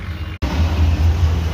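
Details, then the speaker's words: Mahindra Scorpio diesel with DPF problem, restarted after fault codes cleared, only ABS sensor light remaining: steady low idle rumble after a brief cut at the start, even and free of knocks; car is perfect. "দেখে নিন গাড়ি আবার start করছি আমরা, গাড়ি একদম perfect"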